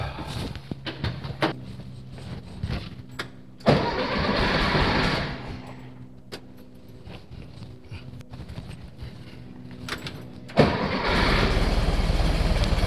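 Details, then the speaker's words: 1964 VW Beetle flat-four after the distributor cap, wires and ignition parts were replaced: starter churns with uneven chugs, then it catches and settles into a steady, even idle. "new wires new stuff new things let's see if she'll fire off now"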